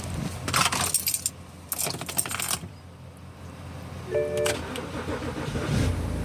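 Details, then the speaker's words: 2007 BMW X5 six-cylinder on a 20°F cold morning, after fuel pump relay heating fix for cold no-start: keys jingle, brief crank, catches straight into a low, steady idle; normal start. "See, start right up."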